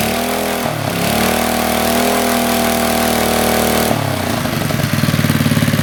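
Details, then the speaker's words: 40-year-old Briggs and Stratton single-cylinder on a garden tiller, cold, after a carburetor rebuild and started without starting fluid to test the fuel pump: after a brief catch it settles into a steady, even putter with no knocks or stumbles; it runs healthy. "oh she runs pretty good now that was what did I do three pulls and then a fourth one started right up"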